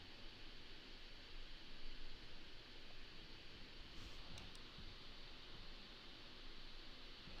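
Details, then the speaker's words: Alienware m15 laptop fans spinning fast, compared to the m17: even, airy hiss, constant sound, no ticking, grinding or wobble; normal high-speed fan noise. "you're flying in the air and you have that that that constant noise in the back it's lower pitched that's what i think about my opinion on m17 with the m15 it's like you're on a smaller plane and you're having that same sound"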